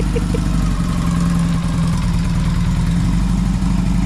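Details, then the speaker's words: 1981 Yamaha XS650 twin, revived after years sitting, parked at idle, which others believe is possibly a rebuilt motor: steady, even low thrum with no misses or knocks. A clean, healthy idle. "so bikes parked runs beautiful seems to start up quite well"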